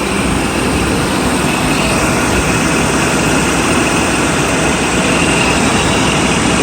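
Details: Mercedes S600 coupe started right up after belt, idler and fan clutch replacement; it previously squealed on every start, but now gives a steady idle with strong fan rush and no squeal or chirp. Normal idle.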